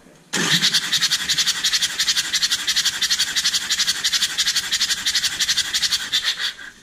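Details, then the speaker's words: JCB 208S (1CX) backhoe with a Perkins 4-cylinder diesel, cranking during a compression test with the injectors removed: loud hissy puffs about three a second as compression blows out the open injector port of one cylinder. "so yeah so you're going to hear that popping noise that's because i pulled the injectors out and i did not put the injector back in for that cylinder"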